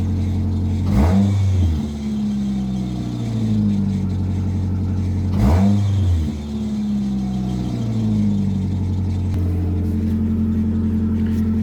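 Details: Nissan Altima that wouldn't start, running after fuel pump work and battery fix: engine catches and revs cleanly twice, falling smoothly back to a steady even idle; runs normally.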